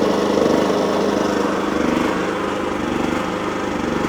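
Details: Wolf generator, bought used with carburettor previously cleaned, running after an oil change and mini service, green light on: steady, even engine note with an unchanging rhythm, no misses or knocks; normal running.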